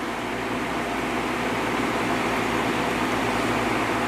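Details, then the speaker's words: 1950s Patton 18-inch High Velocity fan, 3.2 A GE shaded-pole single-bearing motor, after repair (pressure on the inner collar eased): smooth air rush and soft low hum, no rattles; normal running, the best it has sounded. "I think that's the best it's ever sounded yeah that's much better"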